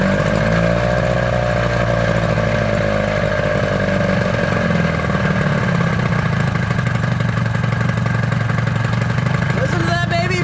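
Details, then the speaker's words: 1983 Evinrude outboard, power unit restored and running on a warm-up: steady, even buzzing with a constant low pulse and no misses or knocks; the motor runs smoothly, lower unit not yet rebuilt. "Dude, that motor sounds good."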